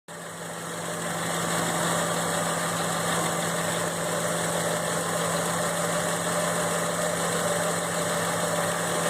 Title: F150 ticking sound (idle)